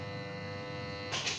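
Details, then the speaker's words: Electric water pump motor powered but not spinning: steady electrical hum/buzz, rotor locked and rough when turned; cause was a dirty armature, fixed by cleaning. "Oke dia masih dengung dan di sini untuk putaran ngunci lagi ya"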